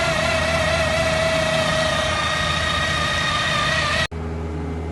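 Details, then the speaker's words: Chevrolet Malibu Ecotec petrol engine running with loud steady high whine from front timing chain after water pump replacement; chain slack because main chain tensioner backed out, guides look fine. "hey bro don't worry nothing damage in this car I think uh the chain see the chain lose his flexibility because the main chain tensioner is came out that's why"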